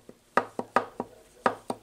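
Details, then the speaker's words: VW transaxle being assembled with custom close-ratio gears: sharp, uneven metallic clacks as the gear is rocked back and forth, too much ring gear backlash, so it needs re-shimming. "know if you can hear that that's too much clearance I'm gonna have to resume it"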